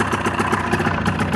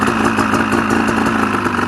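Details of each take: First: Ski-Doo Rev two-stroke at idle: the PTO side blocked by palm only drops it to about 1,000 rpm without stalling. Air is leaking past a bad PTO crankshaft seal. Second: Ski-Doo two-stroke, cold day, crank seal test: idles steadily with a rapid putter, then sags and dies within a second when the magneto-side intake is covered by palm; no crankcase air leak on that side.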